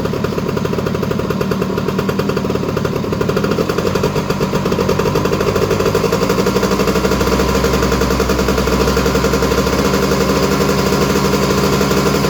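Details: Honda EZ90 Cub single, just restarted, idle a little high: quick, even exhaust pulses with no misses or knocks; what was thought an exhaust leak is WD-40 burning off the pipe; running strong.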